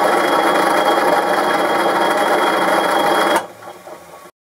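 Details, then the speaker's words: Boxford lathe cabinet-mounted motor drive unit with multi-step pulleys, heard at the bottom near the motor: quick, uneven rattle about three times a second over the hum; source not found, bearings and belt later replaced. "Okay, this is the bottom of the Boxford lathe where the motor is. And I've got a problem with something rattling, I can't find out what it is."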